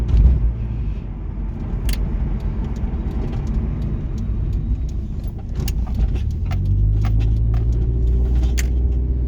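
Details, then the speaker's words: 1996 Nissan 240SX, stock non-turbo KA24DE automatic, driving on a bumpy road: irregular light clicks and rattles over steady road and engine rumble as the trunk lid bangs on its latch because the worn trunk seal no longer seals. "You can hear the trunk rattling, and I'm sorry about that. The seal needs to be replaced so it's not making a total seal and it's kind of banging around on the trunk trunk latch,"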